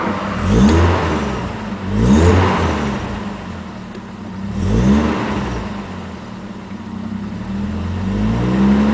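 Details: Swapped Toyota 1JZ-GTE in a Supra, unknown miles, never ran low on oil, revving in swells with a dull clatter on each rise; rod knock suspected, owner suspects the weak original oil pump giving low oil pressure at startup.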